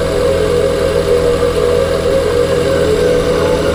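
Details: 2021 Ford Kuga PHEV after new clutch damper/flywheel fitted: engine running with a thin, constant high whine around 500 Hz riding over it, unchanging; source not pinned down.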